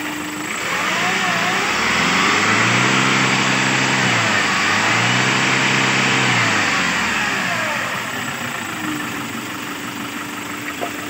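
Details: KIA K2500 D4CB diesel, previously crank no-start, after pressure pump timing reset: rises smoothly through two clean rev sweeps and settles to steady idle, no knock or misfire; normal revving.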